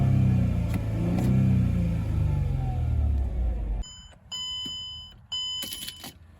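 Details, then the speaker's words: 2005 Mercedes E320 wagon (W211), overdue for service by 36,000 miles; engine blipped with a couple of revs just after start, rising and falling smoothly with an even steady note, no knocks or misses, dash chimes; sounds healthy, normal revving. "so it sounds really good i actually really like the sound of this engine let's uh give it a couple revs and hear what it sounds like"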